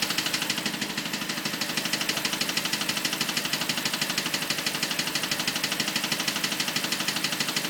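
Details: BMW 545 V8 at idle with a sharp, even clicking of about three ticks a second over the engine. Cause unknown.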